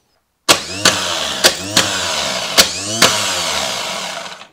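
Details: Old GM Delco starter on the bench during voltage drop testing, four-gauge cables, negligible drop: a few sharp clicks, then strong even high-pitched whir spinning down smoothly; starter turning freely and healthy.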